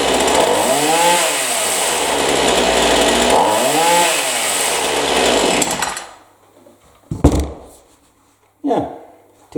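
Saw revs up and down cleanly through two full throttle sweeps without bogging, then drops to idle and stops; sounds properly tuned.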